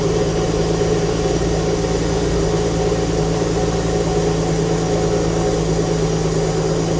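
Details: Alfa Romeo GTV first start after 18 years with donor engine, exhaust gasket still awaiting replacement: steady, slightly uneven idle with loose puffy chuff about three a second; exhaust blowing at idle, expected from the missing gasket; smoke from burning oil residue.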